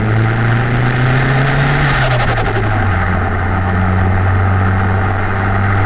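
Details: Car on a new MRP 3-inch aluminum MAF housing, after the initial stumbling was sorted out and warming up before a drive: a deep, steady idle with a clean rev blip that settles back smoothly. Normal idle and rev.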